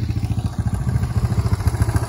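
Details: Old Yamaha YTM200 three-wheeler, after sitting outside about 10 years, now on a different carb in place of a failed Amazon carb. The small single thumps evenly at idle with a light clatter on each beat; a persistent tick of unknown source.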